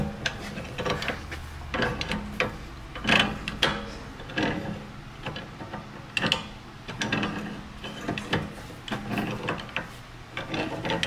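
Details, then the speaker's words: BMW M3 steering rack turned by hand: irregular gritty crunches and ratchety clicks in bursts, started as a crunching sound from the steering; the rack is internally damaged and is being replaced. "I not even yeah your steering rack's not supposed to sound like that guys"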